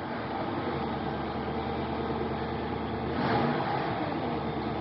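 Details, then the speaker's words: 1997 Mercury Mountaineer AWD, 5.0 L V8, 135,000 miles, still a little cold: steady, even idle around 1,000 rpm, no knocks or misses; normal cold idle. "Start it up. Listen to it run a little bit. Still a little bit cold"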